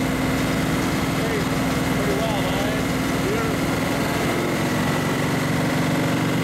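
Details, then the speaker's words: 1935 Chevy Master with newly installed 409 stroker V8, first start-up on jack stands; temperature good; even steady idle rumble, no knocks or stumbles, faint background chirps; normal idle. "so far temperature is good sounds like success"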